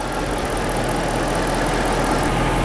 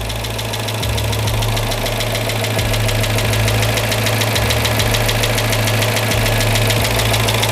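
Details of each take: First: Freshly rebuilt Chrysler 5.7 Hemi V8 in a Chrysler 300, warmed up after a drive, idling smoothly with steady low rumble; earlier heavy lifter tick has gone, no issues. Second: Freshly rebuilt Chrysler Hemi 5.7 V8 in a Chrysler 300, first start, idling with loud fast steady lifter tick from top of engine; expected to go away with heat and miles, later purring.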